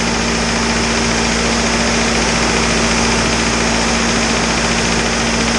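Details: Isuzu 4BD2T diesel on its first startup after the build, idling until the thermostat opened: a steady, even clatter and smooth drone with no knocks or hunting, with really good oil pressure; a healthy idle.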